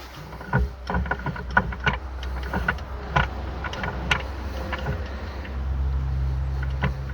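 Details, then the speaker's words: Morris Minor Traveller that lost drive, gearbox removed and shaft turned by hand: uneven clunks and knocks, catching and binding at points; gearbox internally broken and seizing, clutch not at fault. "you see it's jamming and seizing and it's clunky and rattly it's not good and we'll take a look at the other end because it's no better either"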